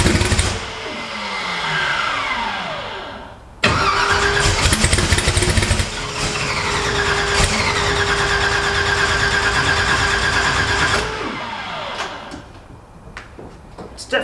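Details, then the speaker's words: Twin-turbo Cortina, first start after multi-point fuel injection install: starter cranks in long bursts with brief catches and sputters, never idling; plug pulled shows flooding. "so i'm just going to put a plug out and just see how that's behaved so you could check it out some floods because it's a little bit too high"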